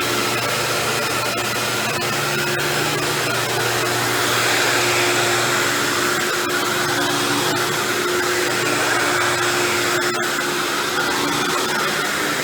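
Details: Dirt Devil Deluxe 8201 upright vacuum with new belt, moving over carpet: loud motor roar with rough gritty grinding under it, isolated to the brushroll rather than the motor when taken apart; brushroll grinding.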